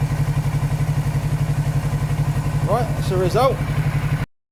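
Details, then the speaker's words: 2019 Kawasaki ER6/Z650 auction bike of unknown engine history, briefly warmed up: even, regular pulses around four per second with no stumbling or rattles; a smooth, healthy-sounding twin at idle. "wow so it's all that crud in the sock crime but that's really good news it sounds really good"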